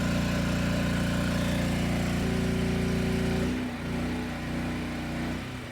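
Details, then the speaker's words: Generac LP3250 propane generator, about 7 years old, after regulator repair: steady even drone holding pitch under load, settling smoothly as load shifts; governing cleanly, reading about 119 V and 60 Hz. "hertz yeah not bad this thing fired right up and sounded good both loaded and unloaded so i'd say this one's done"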